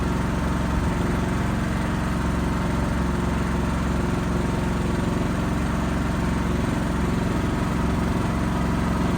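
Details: Backup generator running during monthly life-safety test, steady low engine drone with even pulse at constant speed, no knocks or misses; normal healthy running.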